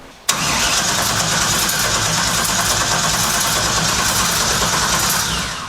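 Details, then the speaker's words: Mid-engine LS-powered 1967 Mustang Fastback on an SLC chassis, built from a Bugatti replica with a newly plumbed nitrous system, fuel system pressurized with no leaks: starter churns steadily about five seconds with no catch, crank no start. Cause unconfirmed; troubleshooting air, fuel, spark. "If you guys have watched the show enough, you know how we troubleshoot these no start issues."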